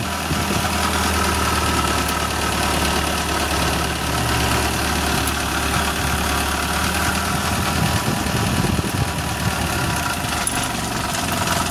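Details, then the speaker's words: Suzuki Carry petrol engine at idle with a harsh, fast diesel-like clatter; the timing cover, held by only four bolts, rattles loose on worn mount cushions. "Oke lur, mesin suaranya kasar banget untuk Suzuki Carry 10. Ini ketika stasioner jelas banget suaranya lur. Ada suara klotok-klotok ataupun kasar."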